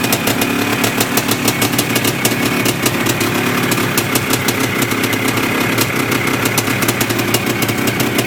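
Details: Yamaha IT490 two-stroke after engine install and rebuild, running 40:1 premix after a few heat cycles, with a temporary silencer stuck on; crisp, rapid, even popping holding steady at idle with no misses or knocks, healthy.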